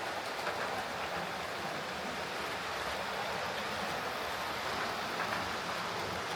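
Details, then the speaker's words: Hornby HST model power car running after service; one of the pair had its motor replaced and its bogie frames swapped. Soft, even whirring with no stutter or grinding; both run okay now, normal running. "Right, so that's these two HSTs sorted out. I'll go and give them a wee run on the way out."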